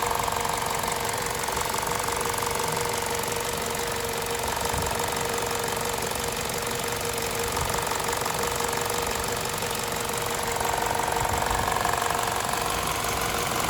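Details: VTi 120 engine, 137,700 km, warm idle: steady light ticking from the left side of the rocker cover; valvetrain noise, cause undetermined.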